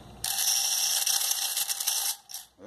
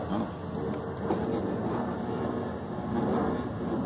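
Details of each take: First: Washing machine draining: fast, harsh metallic clattering over the drain pump hum, from an underwire bra wire drawn into the drain pump impeller; removing the object cures the noise. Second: Washing machine drain pump working normally: a steady rush of water draining out, with no hum, whine or rattle from the pump.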